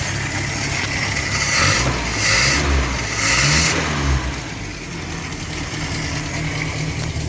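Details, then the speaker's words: 1962 Land Rover Series 2A 2 1/4 petrol after 10+ years sitting, new leads, running on original 10-year-old fuel and smoking a little: smooth even idle picking up cleanly through blips with no misfire or knock; healthy idle and revving. "so right so that's uh oh that's awesome well needed reset leads on it and it ran on the original stale 10 year old fuel so that's a little bit smoking it stinks awful"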